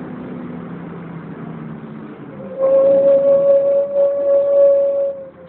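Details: Wright Renown bus 60833 (W766 HBT); loud, steady high screech at one pitch for about three seconds over a quiet engine, like a tyre burnout, from the cooling fan area.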